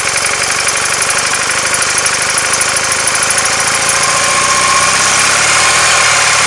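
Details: R100S, about 500 km since rebuild, cold: steady knock of about three per second over a busy, clattery idle, left side, disappears when warm. Heads retorqued, rockers and side-play adjusted; piston pins and rod bushes fine. Origin unclear.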